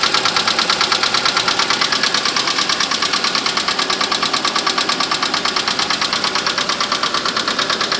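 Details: Mitsubishi Mirage cold start in winter: sharp even metallic tapping about three per second over cold idle, goes away once warm, never in summer; owner suspects piston slap.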